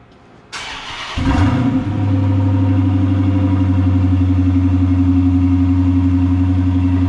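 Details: 2013 Dodge Charger Pursuit first start after a mid-muffler delete kit install: brief starter whirr, then the engine catches into a deep, loud, steady throaty idle through the open, unmuffled exhaust; healthy engine.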